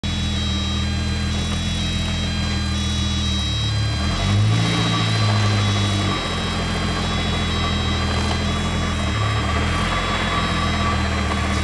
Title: VW MK3 VR6 tranny noise (bad bearing)